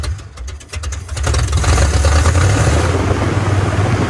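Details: 1980 Chevrolet Silverado 30 series big block (assumed 454), sat for years: the old carburetor isn't squirting, so it catches on starter spray and sputters unevenly. Fuel isn't getting through; the carburetor will be replaced.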